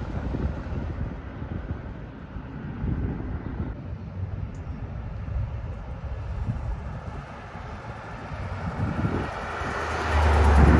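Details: 1978 Pontiac Trans Am, Z-code 400 V8, automatic, 69,600 original miles, with a small exhaust manifold leak on one side: a deep, steady, even rumble outdoors with no knocks or misses; normal running.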